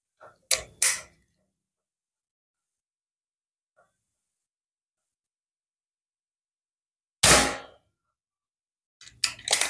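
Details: Predator PCP air rifle that was shooting with random accuracy, blamed on an uneven hammer-spring strike, test-fired at about 20–25 m with JBS pellets: sharp, clean single cracks spaced seconds apart, now sounding consistent. Normal discharge and accuracy restored.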